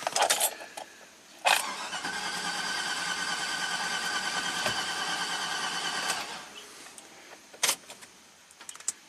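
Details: 2009 Chevy Silverado 3500HD at 421,000 miles, cranked at wide-open throttle with a pressure transducer in cylinder 1 and its spark plug grounded. Even, too-easy cranking for about four seconds with no start; about 50 psi and an exhaust valve opening wrongly, cylinder possibly fuel-washed, low compression.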